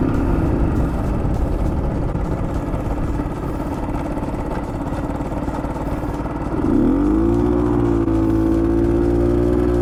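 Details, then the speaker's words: Bultaco Alpina 350 on a road ride, with a rough pulsing knock under load as revs rise. The owner first suspects a low-grade spark plug (the head has two plug holes); the cause is unclear. "yeah it doesn't sound uh it's knocking a bit which i don't like oh it really is knocking isn't it"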